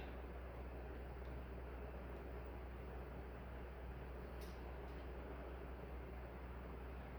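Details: Nutone 48-inch Proline PFC-48 commercial ceiling fan on high, tested with decade capacitor rig: quiet, steady low hum with soft air rush, no ticking or wobble; runs smoothly.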